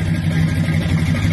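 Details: 1973 donk on 26-inch wheels with an old 350 V8, air cleaner not yet fitted: a short, even blip on a deep, steady V8 with no stumble or popping. It pulls clean and sounds healthy.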